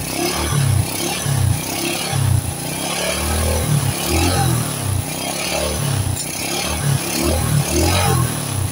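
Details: Supra-style motorcycle with non-Honda "Turbo" engine, after no-cost fix for white exhaust smoke: short throttle blips about one per second, revving cleanly and dropping smoothly, no rattle or misfire; smoke nearly gone, engine healthy.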